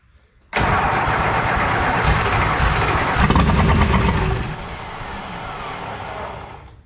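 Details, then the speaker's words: 1966 Plymouth Fury III, 62K miles, swapped engine and transmission, fuel system being sorted: even cranking about three and a half beats a second, speed sagging near the end, never fires. "So it turns over, so we're gonna put some gas in here and see what happens."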